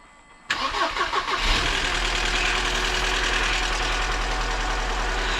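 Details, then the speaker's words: 1998 Mercedes C230 (W202) revived after sitting since 2018, with earlier codes for cylinder 4 misfire, fuel tank sending unit and EVAP. Cranks, catches, then a lumpy, wavering idle; the misfire code doesn't return but a MAF sensor code appears. Rough idle. "rough I mean she's not running great at idle but it's idling And the cylinder 4 missfire fire is not coming back"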